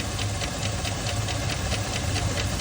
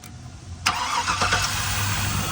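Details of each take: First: Al's engine idling with a sharp, steady metallic knock, roughly four a second, coming from a broken connecting rod. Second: Engine first start after repairing a knock from a broken rod, parts torqued: short crank, then fires and runs briefly at an even idle with no knocking before shutdown; normal engine start.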